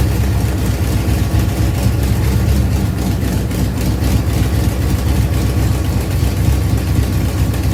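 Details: Ford Pinto drag car after Holley carburetor rebuild (grit cleaned out), secondary throttle stop backed off, fired up to adjust idle and air bleeds: deep, steady idle holding speed without hunting or stalling, running cleanly on its own; normal idle.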